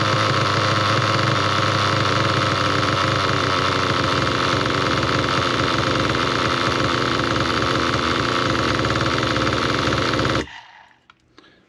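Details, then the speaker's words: Nitro RC car engine, low-speed needle turned richer (counterclockwise): loud busy buzz holds then RPMs drop very low and it dies near ten seconds; stalling from over-rich low-speed needle, fix is leaning it clockwise. "If you heard that, then the RPMs went really, really low and it just quit."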